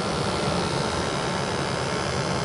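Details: New Ruud 80+ gas furnace at startup after gas pressure set and combustion test (CO about 6 ppm, stack temperature within range): steady, even burner roar with no pulsing, rumble or flutter; normal burner operation.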